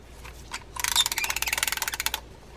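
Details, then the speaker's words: Mitchell 306 fishing reel arrived for service, hand-cranked: rapid rough ratcheting grind like a train chugging, a clunk, bail doesn't trip and may lack its spring; needs service, cause not confirmed. "that's kind of got a sounds like a train chugging along there got a little bit of everything going on"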